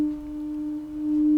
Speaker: if the tone is clean mean that for this modulation your antis scarting is correct like